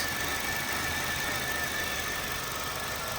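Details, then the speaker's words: Honda Fit GD3 idling after a first-time valve adjustment, no clicking and no check engine light: a steady idle with less rumble than before, but a faint rhythmic rumble remains. Owner fears rod knock; source unconfirmed. "Less of a rumble now. Maybe she just needs to be broken in. I don't know. I feel like I can still hear something under there."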